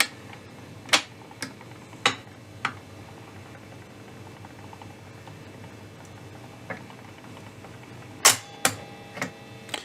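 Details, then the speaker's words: 1960s Kingsley/Lincoln RKR tablegram with Garrard 1000 changer after refurbishment: quiet hum, sharp clicks and clunks as the arm cycles and drops the record; all three record sizes worked, changer normal. "Well, the three sizes of record have worked fine, so it's working quite well."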